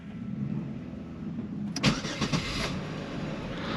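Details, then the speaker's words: Chevy Monte Carlo with a hard-start problem, on a 42°F morning, after the fuel pressure regulator was found leaking fuel: short crank, catches within a second, settles into smooth steady idle; normal start. "And you know, I started it up right away. It had a nice normal crank time."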